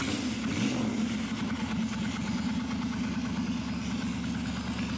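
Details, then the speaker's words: Suzuki Intruder 1400 V-twin, carb primed after long storage: idle slightly elevated, then dropping to a steady, even low lope with no hunting or misses as the choke/enricher is turned off. "So here the idle right now, it's a little elevated, and if I turn this down, it drops down to a steady"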